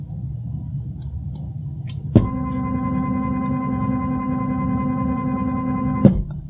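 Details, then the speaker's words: Stepper motor on a step/direction drive controlled by a Pico at 500 RPM, after cleaning up the code: starts with a click, then hums an even steady tone without the per-rotation knocking, and stops cleanly. "much smoother right you don't hear that uh knocking noise for every rotation of the motor"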